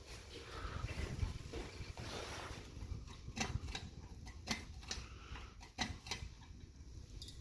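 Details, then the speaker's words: Emerson 1895 Series 42-inch ceiling fan on medium: soft steady whoosh with uneven light clicks and rattles from blade-bracket screws not fully tightened. "and it's moving pretty fast on high-speed like you say you can hear the rattling I need to fix it at some point"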